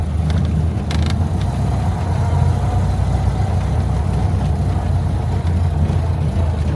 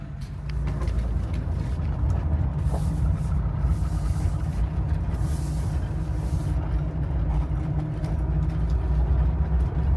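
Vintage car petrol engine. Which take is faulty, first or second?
first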